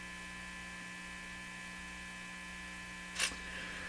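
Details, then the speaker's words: National HRO Sixty receiver: a constant low buzzing mains hum from the speaker with no audio. Audio was never found at the back, though the IF signal can be heard with a signal tracer. "Okay, I'm going to shut it off because I don't think the hum is going to reveal too much more than it's already revealed. So, I never ever found audio back here, which is another curious thing."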